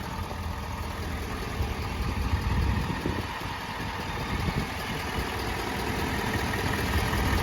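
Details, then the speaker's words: 2022 Ford F250 Limited 6.7 L diesel idling: steady, even low rumble with no knocking or ticking, a healthy clean idle. "Super clean. Sounds good. No knocking. No ticking."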